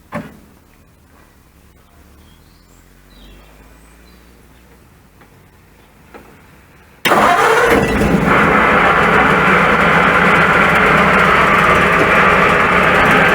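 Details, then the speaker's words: 1941 Ford pickup with a racket that suddenly worsened, started briefly before any disassembly: after a quiet stretch fires into a loud, harsh clattering, steady at about four beats a second; owner first suspected starter or flywheel, traced to a failing water pump. "Okay, that sounds really bad, doesn't it? Okay, that really does sound bad. It sounds so bad I don't even want to run it to try and diagnose what it is."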